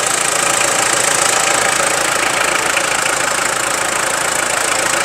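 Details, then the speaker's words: 2000 Mitsubishi Strada 2.8 GLX diesel pickup at idle, oil freshly changed: steady even clatter, quiet, smooth and dry, no misses or knocks, no seeping or leaks claimed; healthy. "ฟังเสียงเครื่องยนต์อีกรอบนะครับเครื่องเงียบนะครับเครื่องนิ่มเครื่องเงียบแห้งๆนะครับไม่มีเยิมไม่มีซิมนะครับ"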